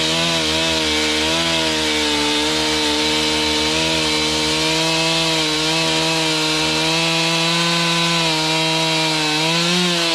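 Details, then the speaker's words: Serviced Stihl MS291 chainsaw cutting a roughly 12-inch log; its strong, steady high-pitched note holds speed through the cut without bogging. Healthy under load; high/low carb adjustment may be tweaked later for firewood season. "she eats pretty nice something we'll probably Tinker with you know high and low carb adjustment as uh as we go through the seasons we get into firewood things like that"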